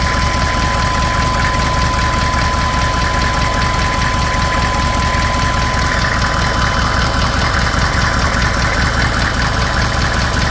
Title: knocking noise.